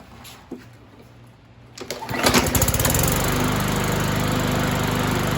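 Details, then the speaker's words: BlackMax/Murray MNA152905 mower, Briggs & Stratton 125cc OHV, after replacing a broken flywheel key and fitting a 20-inch Craftsman blade on a swapped adapter: pull-start catches in about two seconds, then a steady, even buzz with no misses. It runs healthy. "And voila, it works."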